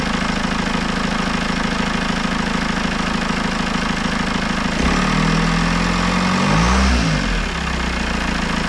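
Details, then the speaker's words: Citroën C4 Grand Picasso 2.0 Blue HDI 150 diesel after head gasket repair and engine refit, first start: even diesel clatter at steady idle with a brief rev, no misses or knocks; runs very well, normal idle. "je va juste vous la démarrer une fois pour que vous rendrez compte que ça ça tourne très très bien"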